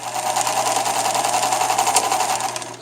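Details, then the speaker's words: Viking 6430 sewing machine after cleaning and oiling, run at high speed: uneven rapid clattering rattle over the stitching rhythm; unidentified noise only at high speed, cause unknown. "i noticed when i go too high fast and do this and this is what i want to document so this noise what is this noise right there"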